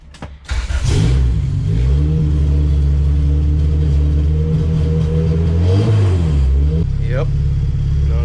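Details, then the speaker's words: Honda Civic Si EK coupe with B18C1 GSR swap and Precision turbo, after loading Injector Dynamics 1000cc injector data: steady even low idle with a brief blip, no popping from the exhaust; idles cleanly. "idling i can tell already literally just having it sit here and idle there's no popping nothing out of the exhaust"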